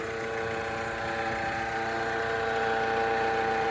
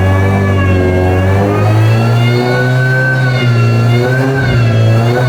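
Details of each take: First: Suzuki S-Cross bought at BCA auction, running at steady idle with a constant mid-pitched whine over the engine; suspected alternator bearing noise, to be checked by removing the inner wheel arch liner and running the engine without the belt. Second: Auction-bought car with custom exhaust, after refabricating and refitting the section that was blowing between two joints. Clean, throaty revving rises and falls smoothly with the throttle, with no ticking or puffing leak: normal, sealed exhaust note.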